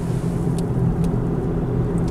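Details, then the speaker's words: Turbo PT Cruiser convertible, 260,000 km, test drive: steady low drone under the road noise holding at cruising speed from the front end; a bad wheel bearing is suspected, turbo and engine seem fine. "sounds like a bad wheel Barry turbo does work the engine seems good just definitely got a wheel bearing issue should make it home though"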